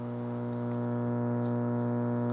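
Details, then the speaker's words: Sansui 881 receiver under repair, DC offset at both speaker outputs: constant low buzzing hum with overtones from right channel, left silent. "Well, I got it hooked up and basically Both channels are having issues. There's uh some pretty nasty hum coming from the right side."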